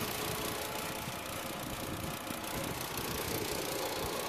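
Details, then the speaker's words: Copart rebuild project car idling: quiet, steady, even idle with no knocking or misfire; the engine sounds good. "the engine is on sounds good"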